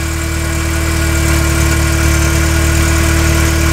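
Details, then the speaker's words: VW Mk IV 1.8T with new APR ignition coils: after the secondary air pump shuts off, the idle drops to an even, smooth hum with no skips. No misses heard, firing cleanly. "The air pump just turned off and it idled down. I don't hear any misses. That's good."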